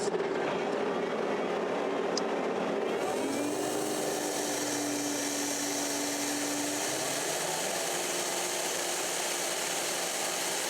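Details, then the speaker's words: Allvac AV7000H hydro excavator with PTO engaged and the vacuum pump at high RPM, pressure check holding about 7 PSI: a loud steady rushing roar with a faint held tone as the front pressure reliefs vent normally. "We're going to start our vacuum pump and we're going to put it onto high RPM, and we're going to watch this gauge here to make sure it sits around the 7 PSI mark, and you'll hear the vacuum relieving out the pressure reliefs at the front."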